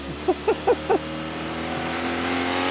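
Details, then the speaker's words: Fiat 124 Sport Spider double overhead cam engine, warm, driving on the road with oil pressure 70 and good temperature, no blue smoke: a few blips then a smooth, steady note with no knocks; quiet exhaust, engine noise prominent; normal running. "It's got a very unique sound. That double overhead cam engine. When you get into it, it uh it's a quiet exhaust. It you definitely hear engine noise."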